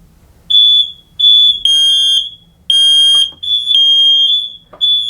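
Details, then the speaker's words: Mains-powered interlinked smoke alarms, test button pressed: loud shrill half-second beep bursts with other linked alarms joining in; all alarms interlinked and working properly. "so not only could we hear that alarm going off there, I could hear this one going down here and this one down here. So I now know that all the smoke alarms are interlinked and working properly together."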